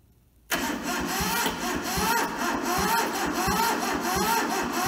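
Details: Toyota SDK4 skid steer diesel under restoration, cranked via jumped starter solenoid after bleeding the loosened injectors and a small dose of ether; silence, then slow uneven tired churning without catching; cranks but won't start.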